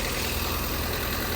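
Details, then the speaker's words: Rebuilt wrecked Ford Fiesta hatchback (2011-2019), 86,000 miles, first start after repairs: even low idle rumble with no knocks or ticks; starts very well and sounds good. "starts very well. It sounds good."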